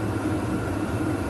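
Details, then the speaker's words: VEVOR 8kW diesel heater in run state drawing 25–53 watts, powered from an EcoFlow battery: steady even roar of burner and fan, no surging, knocking or ticking; normal smooth running. "so yeah she's firing up you can hear the fan pumping the heat through the burn is roaring"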